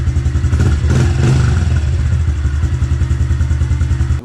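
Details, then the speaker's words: Fuel-injected 2021 Honda CRF110F, about 10 hours, right after an oil change and JTI parts install: small single thumping at a steady idle, even low beat, no knocking or ticking, fuel pump audible; sounds healthy. "yep sounds good can hear that fuel pump running"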